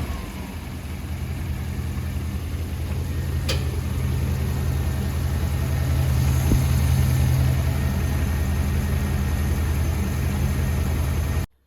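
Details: Holden HT 308 V8, after a cracked exhaust manifold was repaired and the spark plugs were changed on both sides (one found cracked): deep, even burble with smooth rises in revs, no ticking or exhaust puffing; running normally, sounding sealed.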